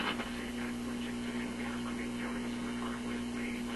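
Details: RCA Victor Model 65U radio/record player after power-supply capacitor replacement, tuned to a station on antenna; steady low hum under a garbled warbly hiss that vanishes with volume down, suspected hum getting into the IF stage, not power supply or audio.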